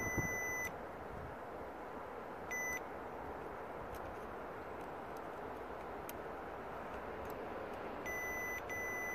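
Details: 2005 Mercedes S320 W220 with wipers not working and relays clicking on the left SAM, multimeter continuity check on relay pin wiring: short clean high-pitched beeps, wire unbroken at the probed points.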